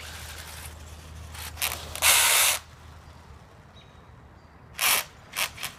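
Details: Axial Yeti RC: short harsh bursts of ratcheting grind, one longer half-second burst and several quick ones between quiet gaps; drivetrain gears slipping or grinding.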